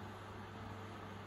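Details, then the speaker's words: Blower (snail) fan recovered from an electric fireplace heater, previously would not spin, now running on AC after repair: quiet, even low hum with a soft rush of air blowing out, no rubbing or rattling; very silent, normal running. "breeze blows out along the table. That's all there is to it. Very silent."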